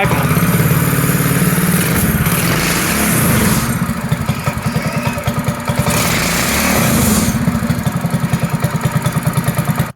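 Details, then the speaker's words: Scooter with a 212cc Predator 8 hp single-cylinder engine: thumping at fast idle rising and falling with throttle, with occasional cracks through the exhaust; backfiring, owner suspects carburetor needs a smaller or bigger jet. "I got to probably situate the carburetor a little bit keeps backfiring but I got to probably get to a smaller or bigger jet whichever one"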